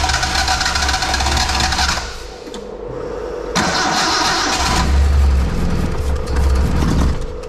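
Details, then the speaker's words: Nissan Sunny truck (Datsun 1200) EFI conversion on Haltech, early start on a base map: long stumbling crank that catches, fades, recatches into a ragged idle; hard start from untuned fuel map needing more tuning. "needs a little bit more work it's on a nothing program"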